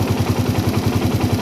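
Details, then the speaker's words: Single-cylinder motorcycle carburetor tuning: even, slow, heavy thumping about ten beats a second, idle rpm dropping more and more as the air screw is closed. "nah kedengeran semakin saya tutup RPM semakin turun semakin turun"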